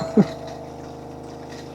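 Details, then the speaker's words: Small water pump of an iSpring RO5004F reverse osmosis filter installed in a Mercedes Vario camper van, on 240 V power: steady low electric hum with a brief clunk at the start; air trapped in the line, cleared by opening the tap. "Oh, there we go. Yeah, we had air. As soon as I turned on my main tap, there we are. So all I did was open my tap up, let the air out, and now you can see the water's flowing."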